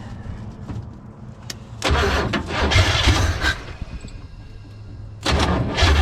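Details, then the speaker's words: Chevy 400 V8 in a 63 Chevy Stepside, previously seized and freed: cranks and catches into steady running, then fires straight up again on second try; barely smokes, sounds healthy. "nice all right let's take off the battery there what do you think I think it's awesome doesn't even smoke that badly or at all"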